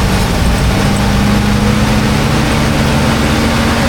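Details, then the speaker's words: 1985 Chevy C10, cammed, new Holley 4160 600 CFM carb, cold engine: once the choke is opened the steady low rumble climbs to a raised, even high idle set by the fast idle cam. "Now you heard it start to idle up right there. Getting high in the RPMs. And that is that fast idle adjustment I was saying earlier."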